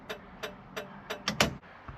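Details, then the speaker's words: Plymouth Satellite dash after gauge swap and LED lights, headlight switch faulty: crisp evenly spaced ticks about three per second turning ragged near end; owner unsure why flasher still ticks, says it sounds on its last leg. "now that flasher sounds like it's on its last leg I don't know why it's still ticking"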